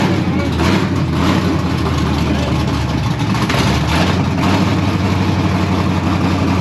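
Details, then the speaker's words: LSX V8 in a Chevelle stock car, fire-up cold on a carburetor with no choke, deep loud uneven rumble with throttle blips, smokes a little, won't hold idle until warmed up. "Doesn't want to idle. Smokes a little bit. Doesn't want to idle, but sounds good."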